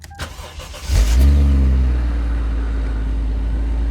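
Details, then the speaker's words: Chaser with 1J engine, automatic, looks fairly stock with a possible old boost controller; a second of cranking, a clean catch with a short flare, then a smooth even idle. Sounds good, a normal healthy start-up. "Oh, sounds good."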